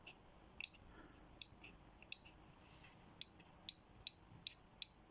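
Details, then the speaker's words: Citroen/Peugeot tailgate release button switch clicking normally, sharp crisp clicks at irregular intervals, shown as a working reference. A defective button stays silent and makes the hatch pop open with central locking. "this guy you hear the clicking sound yes this is what you should always hear when you are pressing it"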